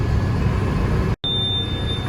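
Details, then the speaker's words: The blockage monitor of a 1990 seed drill, heard from the tractor cab. A steady high electronic beep pulses over the tractor and seeder noise as the tank empties on the right side, warning of blocked runs on section three. "all right now you can see i'm starting to get some blocks just showing up on three so it's basically empty on the right side of the tank the left side is still good if that gets really annoying you can mute it by pushing this button up"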